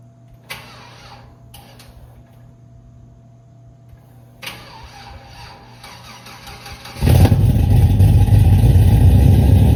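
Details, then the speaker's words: Cadillac CTS-V V8, newly tuned after new heads and cam: cranks, catches, then settles into a loud lumpy idle with uneven popping beats as a cylinder drops out; a misfire. "he said that he felt like it had a misfire when you get down on it. So, I'm going to drive it and check for the misfire."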